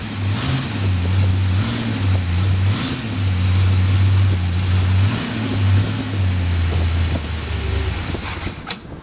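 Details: Freshly built Chevy 283 V8, morning cold start, tuning not yet finished: catches and settles into a slightly uneven, throaty cold idle with small rises in speed; basically healthy, normal cold start.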